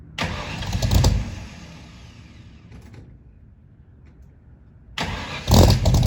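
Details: 1964 Mercury Comet, freshly built with FloTek 180cc aluminum heads, Trick Flow Stage 1 cam, Victor Jr. intake and 1-5/8" headers, first start: ragged bursts, dies and refires unevenly; owner suspects fouled plugs and too-rich idle from springs matched to the stock cam.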